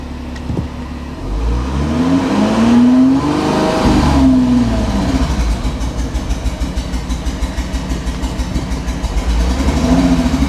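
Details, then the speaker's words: Volkswagen Touareg bought half repaired, transmission slow to engage until about 3,000 rpm: revs then turn choppy with stumbling pulses under load; engine misfiring before dropping into limp mode, scan planned. "Now it's misfiring. Turn it off. It's not happy about something."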